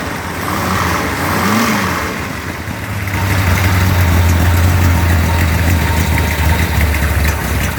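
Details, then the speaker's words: Mopar 360 V8 short block on test stand, iron 587 heads, Stealth intake, 750cfm carb, aggressive 248°@.050 cam: catches after ~3 s, deep even ~900 rpm idle with faint rattle; lowish vacuum; healthy. "The manifold vacuum is a little on the low side, but that's indicative of the camshaft being used. It's 248 duration at 050, which is quite aggressive. And the engine's idling around 900 RPM."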